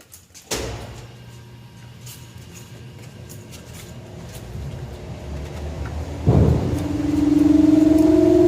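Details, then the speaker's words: Lawn-Boy Insight single-stage snow blower after service with a new spark plug, exhaust hooked up: fires after a quiet lead-in and settles into a steady, even buzz with no surging; running stable. "well i guess i feel pretty satisfied with that it seems to start to run pretty stable"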